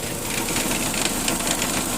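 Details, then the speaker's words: Dodge Neon that stalls, raised about four inches with wheels spinning in gear: rough, rapid chattering hiss with fast irregular ticking from a failed torque converter that stays locked and won't disengage; transmission to be replaced. "there's no way to disengage the torque converter so it'll stay in neutral so that's right the torque converter will slip a little bit if you understand how the transmissions work but you can hear that noise"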